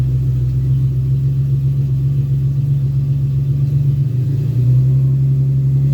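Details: 2001 Ford Ranger XLT 4.0 V6 that cranks about a minute before starting only in the morning, running once started: smooth, even low hum at steady idle, no misses; runs normally despite new fuel and ignition parts.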